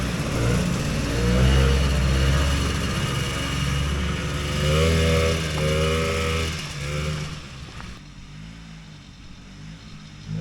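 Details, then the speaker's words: Vintage single-cylinder two-stroke race sled on test revs raggedly and stumbles, pitch sagging instead of climbing cleanly under throttle; it is doggy and ran better when first built, partly blamed on the weather. "I think it's partly the weather today you know I was just testing the XLT and it's Mega boggy too"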